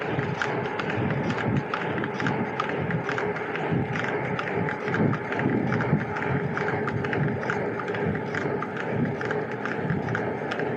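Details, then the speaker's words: 2024 Trek Domane+ e-bike with TQ motor, recorded on a ride: sharp creaking ticks with each pedal stroke over wind and road hiss, barely noticeable on the stand; loose motor support bolt. "first let me show you what I mean by this creaking noise it's not really noticeable when the bike is on the stand but I do have a recording from my Mount Baker ride where you can hear more"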